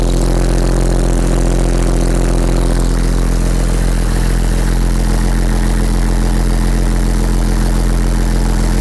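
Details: Porsche 911 Turbo 997.2 9A1 rebuilt engine, first start after rebuild: heavy, steady low rumble with an even beat, no knocks, ticks or rattles; clean idle.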